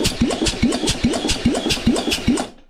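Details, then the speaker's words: Yamaha XS650 after top-end reassembly (cylinders, pistons, head, camshaft, valves set), cranked with plug out and thumb over plug hole: even, strong puffs about two and a half per second; compression sounds promising and healthy. "yeah that sounds promising I wonder what we're getting for compression"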